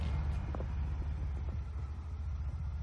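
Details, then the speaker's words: 2021 Ford Bronco 2.7 Lux with start-stop deactivated, stopped after driving in 84-degree weather: smooth, even low rumble, engine keeps idling at a stop with no misses or knocks. Normal idle. "there's our symbol we're stopped engines still running"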